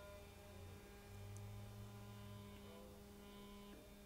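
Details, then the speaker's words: Mercedes SL600 with repaired driver and passenger throttle actuators and tested E-gas module, ignition on, engine off, microphone on the person: quiet, steady electric buzz at one pitch from both throttle bodies; normal throttle actuator buzz. "first thing you hear is the buzzing noise from title bodies when both of them are buzzing first and second one I mean you can probably hear it because i have my microphone on me"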